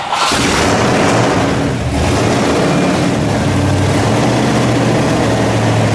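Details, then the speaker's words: 1956 Ford F100 custom pickup, 460 cubic-inch V8 running on liquid propane, automatic transmission: V8 catches with a deep thump on start-up, then settles into a steady, even low rumble with no knocks or misses; healthy, normal idle. "But it was super cool, and I mean, it runs awesome."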